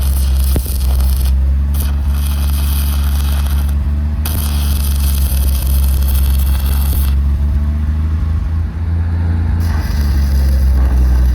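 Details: Lincoln SAE 300 welder with a Chevy inline-six, after ignition circuit repairs: deep, steady drone at even speed with no misses or knocks while welding, then a smooth idle; running normally under load.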